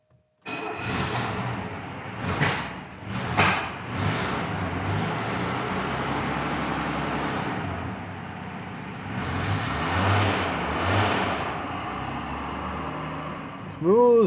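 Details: 1968 Mercedes-Benz 280S after sitting, fuel pump running again: engine catches and settles into a steady, even idle with a couple of light throttle blips; runs smooth, nothing abnormal. Normal start and idle.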